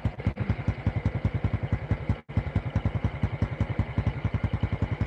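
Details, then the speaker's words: Honda Kharisma reassembled with new original-standard bore: steady, even exhaust pulse at idle; bore, cam chain and valve noise normal, very smooth for the type. "stabil ya sudah sangat halus untuk sekelas Karisma suara boring suara keteng suara klep wajar bahkan ini masuk kategori sangat halus bagi saya untuk tipe Karisma"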